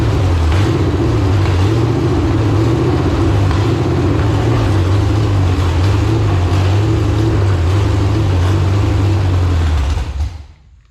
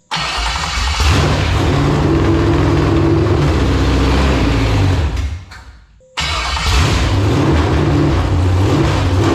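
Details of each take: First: Iron-head LQ4 6.0L V8 (1999–2000) pulled from a shot truck, first start: deep rumble swells and sags about four pulses a second, then shuts off; idle hunting rich-lean, suspected fuel starvation, not confirmed. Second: Roughly 1999–2000 LQ4 6.0L V8 with iron heads, a marketplace engine from a shot truck, run with temporary exhaust fitted: it catches quickly and settles into a steady, even run with no knock or clatter, briefly dips, then picks back up cleanly; normal running.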